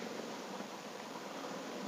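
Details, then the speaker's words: 2005 Toyota Vios Limo Gen 1, engine mounts suspected as cause of a separate thud: radiator fan gives a steady, even airy rush with no ticking, scraping or wobble, normal. "Kipas radiatornya baik-baik saja, normal. Normal, kipas radiator."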